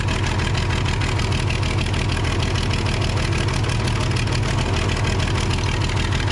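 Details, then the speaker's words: Case 855D loader, 12-valve 5.9L Cummins, after injector replacement and tightening a loose injector nut to about 50 ft-lb: steady even idle, about three beats a second, no knocks or misses; healthy, bubbling stopped. "okay so I was able to tighten that other injector nut up to about 50 foot PBS and it seems like it uh got rid of those bubbles so might have just been a little bit loose"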